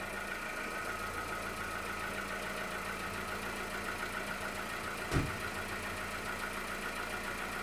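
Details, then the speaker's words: 2015 SEAT Ibiza petrol engine just started cold at idle after service: faint, quick light knock under steady hum, mild piston slap that fades as it warms up; it has always done this. "But if you can hear that very slight noise there, that's very much piston slap sound. And as it's starting to warm up, it's going away."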